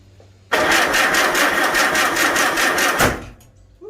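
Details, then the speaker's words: Farmall Super A tractor after a magneto rebuild, with the choke on. The starter cranks fast and steadily for about 2.5 seconds but the engine never fires; owner says the ignition timing is off. "fire. You know what that means? Timing's off."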